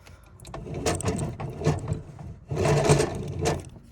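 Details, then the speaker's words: Fujitsu air conditioner with no filter and clogged return air coil: uneven scraping and rattling bursts over a rough fan rush, as the fan motor has snapped its blower wheel, making a wretched noise when switched on. "when they turn the aircon on it makes a wretched noise because that's the fan motor."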